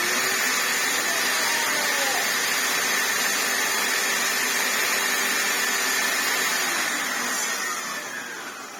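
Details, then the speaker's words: Hoover Turbopower 2 upright vacuum after replacing the faulty motor that ran slow: steady, high motor whine over an even rush of air before winding down. Runs smoothly, though not quite 100%. "it doesn't sound 1000%, you know, 823 perhaps, but better than nothing."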